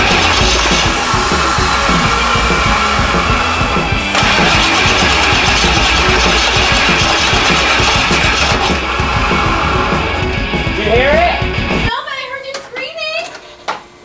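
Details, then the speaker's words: Rebuilt 7.3 Powerstroke diesel, 4x4 Ford Econoline van, first start after filling high pressure oil reservoir (oil pressure lacking before; fuel pressure suspected): catches after cranking, loud steady diesel clatter, then shuts down; normal start and run. "it should take a little cranks to get oil pressure everywhere especially since i was cranking on it with no oil pressure or no oil in here so all the oils out of the lines oh oh it did it"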